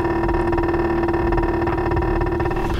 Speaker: my exhaust is sitting and rattling against my rear chassis brace it's really annoying